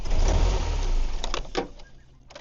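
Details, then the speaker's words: 2006 Pontiac Solstice, jumper cables previously crossed, new starter, battery at 5.4 V, jumper box connected: engine runs rough and low about a second, then sags and dies; stalling from failed alternator not charging. "yeah, so as you guys can see, it won't even stay running with the jumper box connected."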